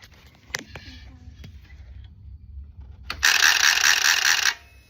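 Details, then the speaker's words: 2011 Harley-Davidson at key-on: a few sharp clicks/clatter from the fuel pump and injector area, then about a second of loud buzzing whir as the pump primes; bike also randomly cuts out while riding. Cause unconfirmed. "When I turn the key on, it makes a clattering noise coming from the [snorts] fuel pump and injector place."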